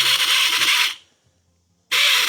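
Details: Ford Transit with previous remap and delete attempts: EGR valve actuator motor whirs, cuts out for about a second, then restarts after a tap; EGR valve sticking intermittently, motor current draw monitored.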